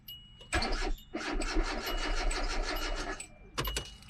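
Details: 2005 Hyundai Accent that drove fine, was parked and then would not start: the starter spins the engine at a steady even rate in bursts but it never fires, and the scanner shows no RPM signal from a failed crankshaft position sensor.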